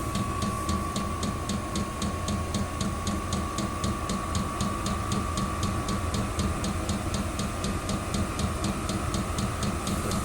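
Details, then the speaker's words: Vevor Chinese diesel heater, restarted after error 8 (no fuel): steady low burner rumble with fine even ticking about four per second, likely fuel pump; temperature climbing to 26–28, heating normally. "I can hear that rumbling from the burner, and temperature is also really going up."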